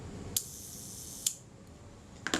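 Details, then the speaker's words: Kodak Retinette type 022 leaf shutter during servicing, speed train set close to the center for a good mainspring. Three crisp, clean shutter clicks with no drag or stutter; it fires smoothly. "that sounded pretty good and it sounded pretty pretty smooth"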